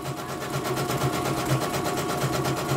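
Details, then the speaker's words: Embroidery machine sent in for repeated jamming and skipping bobbin-case hook, dynamo found dragging; test run after service: even, steady stitching about two beats a second, smooth hum, no knocks or grinding; running healthy. "Oke, ini kita tes ya. Suaranya juga halus."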